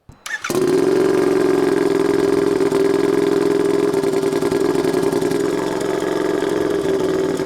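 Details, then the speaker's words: Turbocharged Royal Enfield 650 with stock pistons, forged rod and a Garrett turbo: the start button triggers a relay, the engine catches in half a second and settles into a steady, even idle with no knocks or misses. "Eh ben, on appuie sur le bouton start et ensuite c'est celui qui fait le relais."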